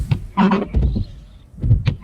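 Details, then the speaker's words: Windshield wiper squeaks and judders with each sweep across the glass; a bent wiper arm lifts one side of the blade off the windshield, so it chatters and wipes poorly. "是不是这个雨刮器在工作的时候嘎吱嘎吱响？"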